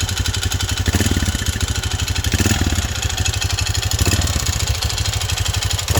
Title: NOISES FROM THE DEEP! CT125 Honda Trail 125 Takegawa 143cc piston & cylinder. Piston slap? Part 1